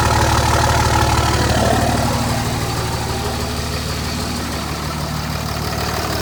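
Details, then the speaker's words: 2005 Dodge Ram 2500 5.9 Cummins turbo diesel, 194,966 miles, stone-cold start at 34°F after the intake heater plate warms: deep, steady clatter at even idle, easing as it settles, no misfire; normal cold start. "A heater plate is warming up, and she's gonna go ahead and start it."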